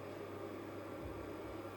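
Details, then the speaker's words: Refrigerator compressor on a 24 V to 220 V 500 W pure-sine inverter after a failed first start attempt (owner suspects a capacitor charged up; meter later shows 1256 W peak load): low steady hum with faint tonal drone, no clicking or stalling; running normally. "А ні він запустився а чуєте Він працює і Холодильник працює Я не знаю як це сталося"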